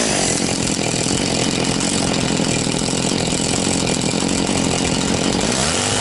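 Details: Very high-hour Echo CS-670 two-stroke chainsaw with an orange bar, after an ignition fix: holds a steady, crisp high rev without bogging or four-stroking; running healthy.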